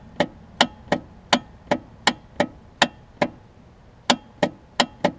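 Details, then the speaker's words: John Deere LA105 riding mower, sat outside about 3 years: with the key switch on, sharp dry clicks repeat two or three times a second with no cranking, pointing to a bad starter solenoid, later replaced. "solenoid clicking ever so tells me that I likely will need a starter solenoid"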